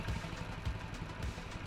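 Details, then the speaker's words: Honda Ruckus scooter single-cylinder after a new fuel line, idle screw being turned up while it warms and tends to lug and stall: low throaty idle with a slight rise and fall. The idle is still slightly uneven, with no fuel leak. "see there's there's still a little bit of inconsistency in it idling when it's I want it to be"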